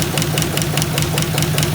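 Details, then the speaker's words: 1951 Buick straight-eight with Dynaflow, from an abandoned restoration and first run in unknown time: quick, even ticking about five per second over a steady idle. Valve train noise; apparently no thermostat fitted. "you know that's indicative of all this valve train noise already."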